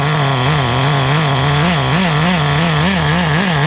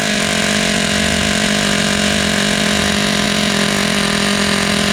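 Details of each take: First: Restored vintage Team Associated TC3 nitro engine, no fuel tank bubbling: a high, buzzy idle with a slight rhythmic pitch waver that holds at full brake without stalling. The tune is adequate, though the motor runs a little warm. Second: Vintage Team Associated Nitro TC3 RC car, first run after restoration: a high, buzzy nitro note holding steady pitch without cleaning up. The engine is running rich and smoking while it clears itself out, before the idle/throttle trim is lowered.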